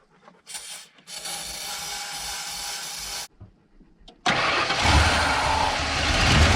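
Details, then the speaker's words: 1992 Ford F150 XLT, 302 V8, E40D automatic, with a new battery: two long bursts of steady, even cranking that never catches. The fuel pump works but no fuel is reaching the engine. Crank, no start. "Okay, the pump's working, engine's working, still not getting fuel."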